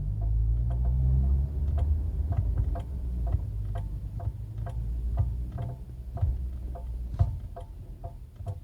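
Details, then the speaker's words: Chery Tiggo 7 Sport, about 40,000 km, engine idling with the brake pedal held: sharp, uneven metallic clicks about three a second, like tapping a pan with a spoon. Owner says it isn't normal and the source is unknown; a dealer visit is planned. "Ele dá como se fosse uns estalos e como se tivesse alguma coisa batendo, como se fosse de uma panela e você tivesse batendo com a com a colher."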